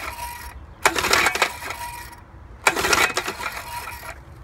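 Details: 1963 Evinrude Sportwin outboard, just after replacing its ignition coils, condensers and points, makes sharp metallic clatter and knocking even when only the starter cord is pulled; cause unknown.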